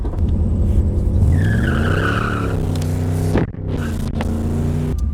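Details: 1991 Camaro Z28 with heavily abused 700R4 automatic, no third gear: on a hard 1-2 pull rpm flares then sags without firm bite; slipping, likely worn clutch packs, suspected not confirmed.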